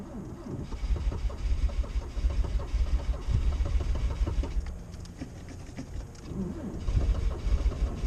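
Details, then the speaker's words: Lada 2104 carbureted, unstarted three weeks in snow at about -19 to -25 °C, choke pulled and throttle pumped: slow uneven cranking thuds, then stumbles and catches into rough low running; normal cold start, carb still set for warm weather. "we have exhaust not bad for a carbureted car"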